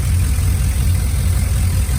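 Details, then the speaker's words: 2001 Silverado 5.3 V8 with GT45 turbo kit, leaking driver's manifold gasket replaced; cam still audible but quieter than with exhaust open. Steady, even low rumble, smooth idle rhythm, no ticking or puffing: normal idle. "you can still hear the cam but not near as good as you could hear it when it was open"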